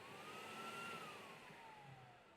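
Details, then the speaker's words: US Steam Eagle Plus 2.0 (EP2) commercial steam vacuum cleaner, vacuum tank turned on with the bottom button: smooth airy rush with a steady mid-pitched motor whine that swells then settles. Normal vacuum motor running. "Bottom button is going to be your vacuum tank. So if you're steaming, cleaning, right, and you're making a mess, you want to vacuum it up, we're going to click the bottom one, turn it on."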